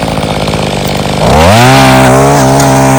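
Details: Mantis Mini Tiller two-stroke, free unit revived with replacement carburetor and fuel line, tilling rocky yard soil: buzzes at idle, then revs cleanly and holds steady high pitch under digging load; normal strong, even running.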